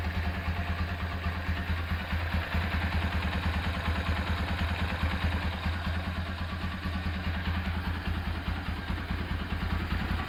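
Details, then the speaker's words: Restored Honda Tiger Revo single with BRT camshaft, rebuilt carburetor and oil cooler, after rebuild at idle: steady even single-cylinder thump with faint carb spitting, which is attributed to the BRT cam; normal running. "Oke, mesin sudah beres. Karbu agak ngeses ya, ini karena pakai karbu pakai noken as BRT."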